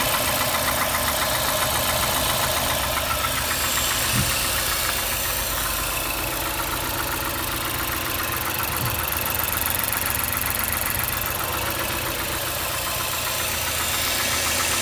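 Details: Mazda 6 MPS engine knocking at idle up to 1500 rpm and quiet above that: light, fairly regular knock three to four per second over a rough idle; cause unknown.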